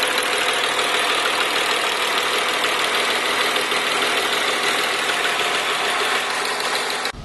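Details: BMW M3 engine running with a fast metallic rattle, roughly three beats a second, over the engine. The cause was a broken starter motor dog gear bearing.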